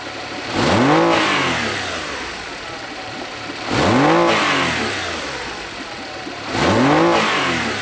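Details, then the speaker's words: Honda BF40 outboard on a 14 ft boat, tops out near 25 MPH: three throttle blips, each rising then bogging down instead of picking up; fuel starvation under load. "I'm really trying to demonstrate how how what it really does uh in this particular segment you can clearly see how it's really barging down"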